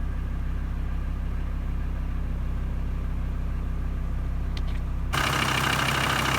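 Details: VW T4 2.5 TDI with a rebuilt engine, after fitting a new fuel sender unit and fuel filter to cure air being sucked in at low fuel, idling in neutral: an even diesel clatter of about three beats a second with no misses; running healthy.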